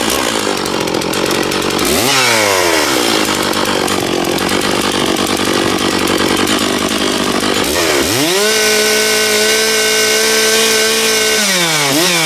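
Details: Stihl MS660 chainsaw after a clutch repair, cutting wood, possibly ash: strong, steady high revs that hold speed under the cut and snap back cleanly on throttle. The chain stayed put and it makes plenty of chips. Normal, healthy cutting.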